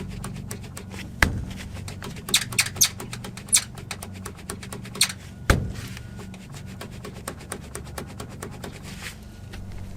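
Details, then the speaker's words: Chevy Colorado ZR2 front suspension, aftermarket Peak upper control arms rocked by hand on a cold 37°F day: two dull thunks and faint clicks from play in bushings, owner suspects source of clunk when suspension drops. Suspected upper control arm bushing play. "so there's a little bit of play in the arms and that's probably my noise so let me see if i can get you guys in there close enough to hear it ever so slightly"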